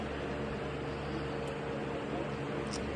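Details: Lasko box fan with smaller capacitor motor, running on high: steady even whoosh and constant motor hum, no ticking or rubbing; normal.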